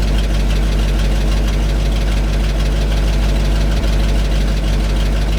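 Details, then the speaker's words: 1975 GMC C6000, 350 V8, first start in about 10 years, low fuel in tank: loud heavy idle with uneven lumpy beat about three pulses a second; owner suspects weak fuel pump, cause unconfirmed; rough idle. "there's a little bit of fuel in this tank there should have been enough maybe the pump is weak we're gonna find a pump"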